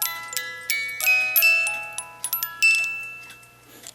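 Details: Chalet cuckoo clock music box after a collet was fitted so the spur gear stays engaged with the crown gear: clear plucked notes in a slow steady tune without skipping or stalling; plays properly.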